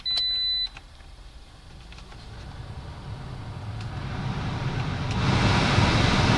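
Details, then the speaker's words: 2010 Toyota Corolla LE whose blower made the whole car shake, after repair with the glove box refitted: a chime, then a smooth, even rush of air building as the fan speeds up, with no rattle or vibration; normal blower operation. "Let's go and see if it still makes any vibration or sounds. So hopefully everything's fine. They will have a beautiful sound coming from here."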